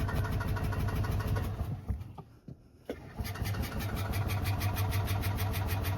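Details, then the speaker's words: 1992 Club Car DS gas golf cart after carburetor change, magneto cleaning and transaxle repair, cold: engine stumbles and nearly dies, then catches and settles into a steady, even low thump; no-start issue fixed. "Transaxle transmissions repaired. Enginees running. It's a little cold nature to start with for right now, but I think we just need to run it a little bit more."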